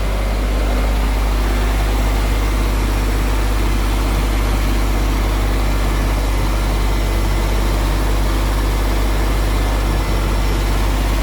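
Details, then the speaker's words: Triumph 2000, carburettor suspected: loud, uneven low idle with a lumpy, unsteady beat and no clean rhythm; engine does not respond to throttle, rough running, owner suspects carburettor mixture fault. "So you can hear on a choke, she runs lovely. You see? I give it a bit of a throttle. So it's only running on it's not reacting to anything."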